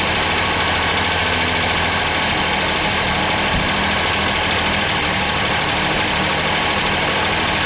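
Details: Ford Sierra V6 on a cold start: a loud idle with an uneven, shaky run underneath, caused by bad fuel injectors not fuelling evenly.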